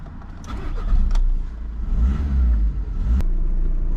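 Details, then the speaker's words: High-mileage VW Scirocco: catches quickly, revs cleanly, settles into a smooth steady idle with no knocks or rattles; sounds healthy. "nothing wrong with that, is there? That sounds mint."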